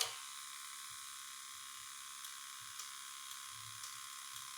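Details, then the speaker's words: Cummins diesel from old bus, sat outside about 3.5 years, fed from diesel can; starter barely bumped so electric lift pump primes for a timed run: steady even buzz with low hum, no stutter; normal fuel lift pump priming. "a lot of times what you can do is just barely bump it over and you hear the fuel pump running"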